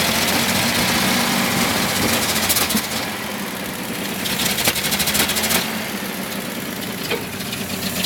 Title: 1976 Datsun 280z rough idle